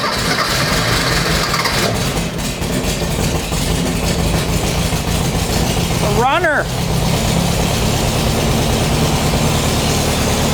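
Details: Rebuilt air-cooled 1600cc dual-port VW flat-four in a dune buggy on a shortened 1973 Beetle chassis, first start after basic wiring: catches and keeps running with steady chuffing beat, no knocks; runs normally.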